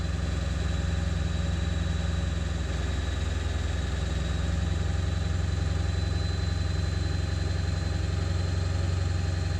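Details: 7.3 diesel at idle after ICP sensor replacement, still not running great: a deep idle with an uneven, lumpy beat that never settles into a smooth rhythm; rough idle, cause not yet found.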